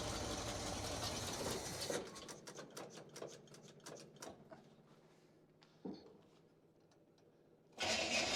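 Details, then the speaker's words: 1953 Chevy 3100 truck, 235 six-cylinder with 4-speed manual, long-sitting farm truck: engine turns over, fires in a few uneven sputters then dies as if fuel-starved; carburetor suspected, fuel pump being checked. "so I do believe it is the carburetor that's the issue"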